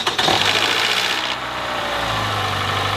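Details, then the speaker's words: Engine with strange start-up problems, also shows oil pressure light in fast cornering despite full oil level: brief metallic rattle as the starter engages and engine catches on start, then steady idle; VVT actuator start-up rattle. "you can hear that first metallic sound rattle you heard once the starter engaged and the engine actually started"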